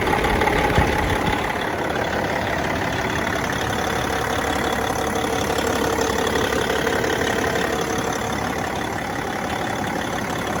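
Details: Caterpillar C15 ACERT diesel after exhaust manifold replacement, first start: even, settled idle with steady low rumble, no ticking or exhaust puffing; exhaust fixed, engine sounds healthy.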